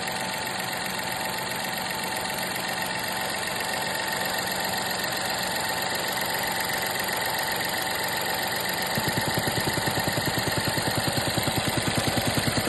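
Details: 2021 VW 1.0 TSI 81 kW (DLAA) three-cylinder with an abnormal noise at idle: light rhythmic ticking about three times a second, becoming more pronounced toward the end; cause unclear.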